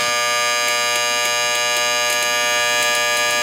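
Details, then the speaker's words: Late-1960s/early-1970s Sankyo Seiki mechanical digital rolling clock, odometer-style, with the alarm triggered. A steady, harsh electric buzz with faint pulsing about four per second; the shut-off button doesn't stop it. Normal alarm buzzer. "Yeah, it works in a similar fashion to an automobile odometer, and it has an alarm clock built in that does work, as I will now demonstrate."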